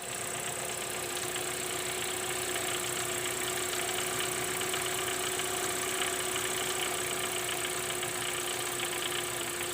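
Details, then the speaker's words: Mitsubishi 4G93 GDI at idle with a fast, uneven metallic clatter over a steady tone, present since 250,000 km and unchanged over another 100,000 km; caused by a worn oil pump drive gear rattling at its mesh with the crankshaft. "так Откуда же берется этот звук спросите вы и почему у меня сейчас на столе лежит именно шестерни масляного насоса Да все потому что этот звук идет как раз таки от этой шестерни а вернят сопряжение коленвал и шестеренка масляного насоса"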